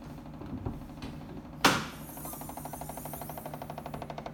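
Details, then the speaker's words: 2018 VW Touareg, warm after a few km of driving: at ignition on, after a sharp thump, fast even clicking of about ten ticks a second from the back of the right-side LED Matrix headlight; scan showed LED light faults. "is my Touareg, and I have strange noise coming in from near the main light there when I put the ignition on."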